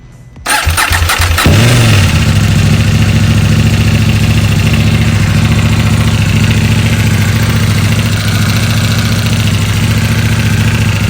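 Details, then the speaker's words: 2021 KTM Duke 890 R, about 4,200 miles, regular oil changes, tracked a few times; cold start then lumpy idle with metallic rattle blamed on the factory hydraulic cam chain tensioner, before tensioner replacement. "I don't know if we're just in between mechanical clicks on it because it is supposed to be hydraulic tensioner um but it yeah it just sounds terrible so we're gonna do a quick cold start uh this is cold cold just hopped out in the garage"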